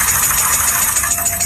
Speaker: Today, I will teach you how to judge engine failure by abnormal noise. The engine is making abnormal knocking noises.